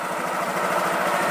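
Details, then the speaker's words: Honda Vario 150 scooter that would not electric-start (kick start worked, battery normal, no MIL code), running after repair with the radiator off: steady, even idle with a smooth mid-pitched hum and no knocks or misses. "di sini motor sudah nyala Bro dengan alat-alat sederhana seperti ini"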